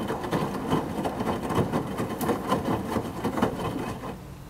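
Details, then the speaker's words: Midea HealthGuard Smart 13kg (MF200) washer on Cama e Banho cycle, white cotton load, glass about 51.8°C, main wash at display 1h16: soft rhythmic thumps and light ticks, about three to four a second, drum turning; normal wash. "51.8 deu agora pouco pessoal tá adicionando água agora para fazer a lavagem principal tá o display tá marcando 1 hora e [Música] 16"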